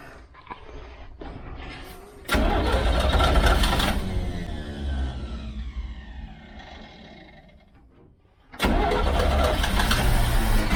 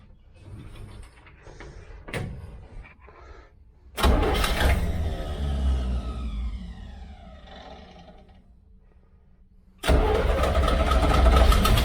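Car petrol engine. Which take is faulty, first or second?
second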